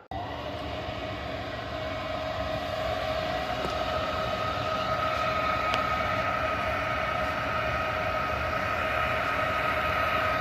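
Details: 90% gas furnace with a no-heat fault, fired up after the gas valve was replaced, with air being purged from the gas line. A steady burner roar builds as it settles, with an even inducer tone and no surging. Normal furnace operation.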